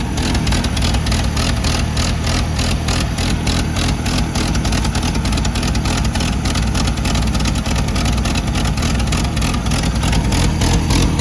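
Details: Gas Oliver Super 77 tractor with wide front and factory 3-point hitch, first start attempt: rough but steady low run with even pulses about 200 a minute, no knocking; engine firing and running normally.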